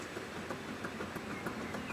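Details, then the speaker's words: 2009 Audi A6, 168,000 km, front right wheel rocked by hand horizontally and vertically, mic close: faint regular knocks about three per second from play; worn front right wheel bearing, causing vibration and noise in left curves at speed. "radlager freunde eindeutig und das ist auch das was natürlich bei den linkskurven des war dieses jahr meistens spiel war ob der geschwindigkeit der linkskurve dann fängt das an zu vibrieren weil ihr spiel ist und dadurch haben wir dieses geräusch"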